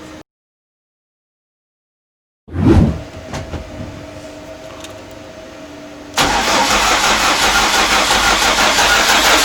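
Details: VAZ 2114 with a swapped engine on its first start attempt, ECU not yet connected. Starter churns without catching, then a loud steady rush. No fuel rail pressure; owners suspect mixed-up fuel hoses.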